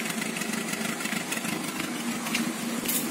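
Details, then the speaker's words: Peugeot 206 1.1 petrol, 500,000 km, after replacing coil and intake MAP sensor and resetting ECU: steady, even idle with no hunting or surging; earlier idle roughness, cold stalling and power loss resolved. "ça venait bien de ça c'était le dernier truc à régler pour moi le compte tours il marche plus mais voilà pour qu'on a perdu ce bruit des tourments dans le ralenti"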